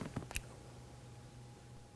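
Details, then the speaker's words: 2005–2011 Mercedes R171 SLK convertible-top hydraulic system: a few crisp, sharp clicks over a quiet electrical hum as the trunk partition/hat shelf microswitch is actuated; the switch is clicking and working normally. "hope you can hear it clicking normally if it clicks it works"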